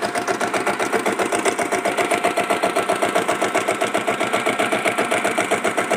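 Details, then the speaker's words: Diesel Bullet motorcycle with self start. The weak battery slows self-starting. Even, steady single-cylinder diesel thump about four beats a second, with no extra knocks or clutch-plate rattle. Healthy engine idle. "Clutch பிளேட்டில் எந்த விதமான ஒரு extra நாய்ஸுமே இல்லை. எவ்வளோ சூப்பராக நீட்டாக இருக்குதுன்னு பாருங்கள் இன்ஜின் கண்டிஷனு."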